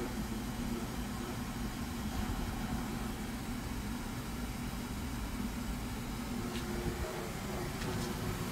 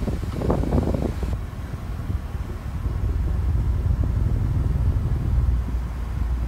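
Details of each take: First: Cleaned Duracraft pedestal fan oscillating: a steady airy whoosh with a low buzzing hum underneath. The owner says it never vibrated like this until recently. Vibration noise. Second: Duracraft pedestal fan after cleaning, running on low speed before oscillation: low, soft, even whoosh with no ticking, rattling or wobble after a brief handling bump; smooth and quiet normal running.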